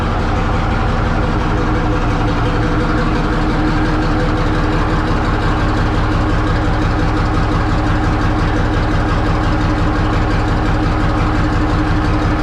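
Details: 1963 Diamond T 931-CN cabover semi diesel, first run after sitting one to two years: deep even chug at steady slow idle, no knocks or stumbles; running healthy.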